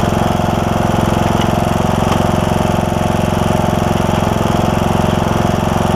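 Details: John Deere E100 mower, 17.5hp Briggs single-cylinder, 80 hours, after new camshaft fixed broken compression release and hard starting: starts right up, even steady putter of about four beats a second, no misses or knocks; oil burning off muffler.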